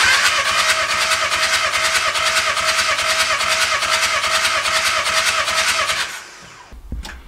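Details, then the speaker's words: Caddy that won't start, compression test while cranking: quick, even cranking beat about six seconds with no uneven strokes; cylinders read 25, 22, 24, 24 bar, all four within tolerance, normal even compression. "and Cinder number four we have 24 so all four are within tolerance which is perfect that's exactly what we want to see"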